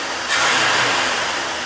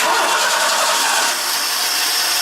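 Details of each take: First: 1986 Ford F-150, idling about 950-1,000 rpm: quick throttle blip rises cleanly and settles without stumble, knock or miss; engine healthy and responsive. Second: 1986 Ford F-150, about 170,000 miles, 4-speed with overdrive, being restarted: cranks and catches into a ragged, stumbling idle; misfire caused by coil/plug wires for cylinders 2 and 4 swapped.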